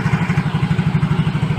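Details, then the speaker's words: Yamaha Mio J scooter idling smoothly after the failed fuel pump IC was replaced and pump refitted in the tank: steady, even low thump about ten beats a second, no misses or rattles; running fine. "Nyalakan mesinnya senilai rahmanir rahim [Tepuk tangan] alhamdulillah aman dan lancar"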